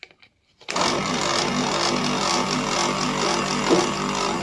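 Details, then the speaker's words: Haier air-conditioner compressor, previously seized and not starting, freed with two start capacitors in parallel: abrupt start into a harsh uneven buzzing rattle; runs but not healthily, suspected lack of oil. "Mặc dù nó được tiết lộ bằng một tụ điện dung lượng lớn Có thể chạy Nhưng điều này không có nghĩa là máy nén này tốt"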